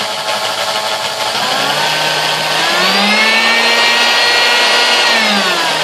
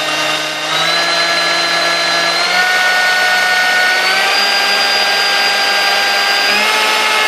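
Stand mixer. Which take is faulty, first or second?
first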